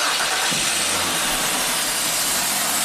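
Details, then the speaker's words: 2006 Ford Freestyle AWD towed in as a no-crank, starter relay load-side terminals jumped: starter cranks briefly and engine catches cleanly into steady run; starter and engine fine, vacuum leak from busted line noted. "first thing you want to do is just jump the two terminals, see if this thing cranks and runs."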